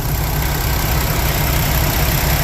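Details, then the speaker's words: 2020 Kenworth T680 with PACCAR MX-13 EPA17 diesel after compressor head replacement for cooling system pressurizing when cold: even, steady low idle rumble with no knocks, misses or rattles while warming up; no coolant leaks. "It's going to take a lot longer than 7 minutes to do that just at idle. Let's go look at things. Yep, sounds about right."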